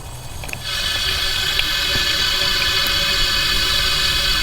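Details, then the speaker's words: Toyota Land Cruiser FZJ80, 1FZ-FE engine, leak-down test on cylinder one, mic at oil filler cap: steady loud hiss of air once cylinder is pressurized; compression escaping past piston rings, no radiator bubbles so head gasket likely fine. "and what you're hearing is air escaping by the piston rings myself ton and ray are pretty convinced that we're losing compression out of that number one cylinder past the piston rings it's pretty much a dead giveaway"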